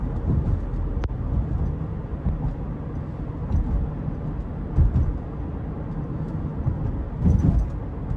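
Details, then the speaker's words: 2018 Subaru Forester Limited, 170-hp 2.5L 4-cylinder, in-cabin while driving: soft low road rumble, no creaks, buzzes or trim rattles; tight, quiet interior. "As you can hear, there's not many creaks and rattles from this interior, even after almost 10 years."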